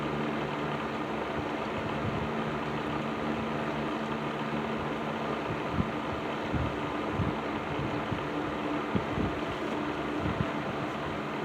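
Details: Serviced Patton 12-inch box fan, black Patton-branded Fasco motor, low speed in a window: soft steady hum and airflow with faint occasional rattle ticks; bearings sound fine, rattle reduced from before, normal running.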